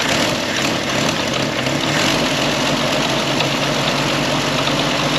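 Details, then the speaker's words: Historic Ford Willys Jeep sitting many years, small four-cylinder Go Devil engine, fan belt tightened: fired right off on choke, then even steady idle with some hiss; no knocks or rattles. "Don't hear no knots, rattles. Oh, and I did tighten up that fan belt. And it's idling."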